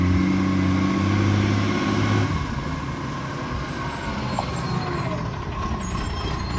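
Diesel idling with a low rumble and an uneven puff about four times a second; sounds like an exhaust leak, with air brakes hissing behind it. Cause suspected, not confirmed.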